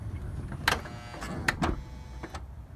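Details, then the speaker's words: 2006 Honda Odyssey driver-side power sliding door after repair: a low motor hum with crisp latch clunks as it closes and catches normally, no longer over-pulling, straining and releasing. "again notice it is not over pulling the door and then releasing it later it's going right"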